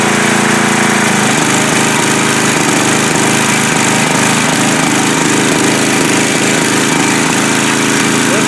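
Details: Coleman Powermate MAXA 5000 ER generator after carburetor work (needle from new carb fitted to old carb, fuel reduced, more air): steady, even run at constant speed with regular firing and no misses. Runs well; owner suspects faint clinking behind front cover, not rod knock.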